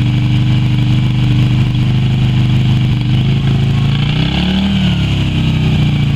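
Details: Yamaha Virago XV250 V-twin started after 6 years in storage, old fuel black, carb primed with squirted petrol; loud lumpy twin beat surging and sagging as throttle is blipped, running rough while clearing stale fuel.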